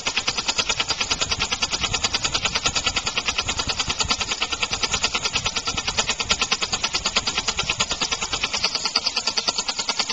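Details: Homemade compressed-air engine (aluminum valve shaft/crankshaft in a steel bore, sloppier after about 15 minutes' running), started just past top dead center: quick, regular air puffs about three a second with slight unevenness; rough running from an unbalanced flywheel and early valve timing.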